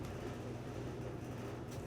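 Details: LG dryer on a preventive maintenance check, high-heat dry with the door closed, run a few minutes and reaching 142 degrees: low, even drum rumble and steady motor hum, no squeal, thump or scraping; running normally.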